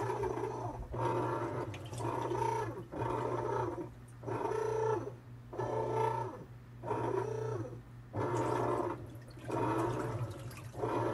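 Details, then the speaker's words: Maytag/Whirlpool top-load washer with basket not moving clothes, viewed from underneath: motor hums and shaft turns, agitator churns slowly and moves water, but stalls when gripped by hand to simulate load; suspected bad transmission, not confirmed. "so it has some power but as soon as you get some pressure on it it does nothing"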